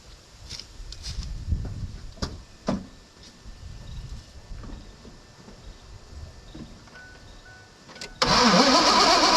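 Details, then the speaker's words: 2001 Mazda B3000 with an LS swap, sitting 18 months; starter spins the engine in a steady loud churn but it never fires. Crank no start; low fuel pressure suspected, old varnish-smelling fuel. "I don't think we're getting enough fuel pressure now what I'm wondering here now is our fuel pump pumping fuel"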